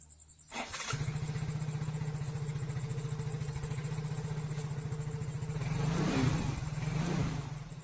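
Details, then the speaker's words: Very old, rarely used Yamaha Mio Soul GT scooter after repairing rat-chewed fuel pump wires: starts right away, steady even putter about four beats a second, light blip; running normally. "pastikan saat kita memutar kunci kontak, terdengar suara berdengung di bawah tangki. Itu artinya pompa bahan bakar sedang bekerja"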